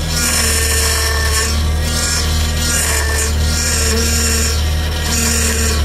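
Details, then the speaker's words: Audi TT with a leaking power steering pipe, engine running. A steady droning whine with a harsh, gritty edge comes from the pump, caused by air drawn in through the leak aerating the fluid; a leak or a bad pump causes this noise. "so the reason that's making noise is that it's pulling in air for every drop of fluid that comes out this gets replaced by air going into the system which then gets put around the pump really fast and makes that horrible noise"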